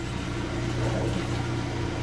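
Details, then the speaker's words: Kenmore/Whirlpool Elite direct-drive washer, model 110.22952102, after replacing the broken motor coupling; smooth, steady low hum of the drum spinning with no grinding or banging. Normal spin after repair. "uh and then we'll see if it spins no noise oh and then it has some sort of safety well that's annoying I should have disconnected that all right no noise it's"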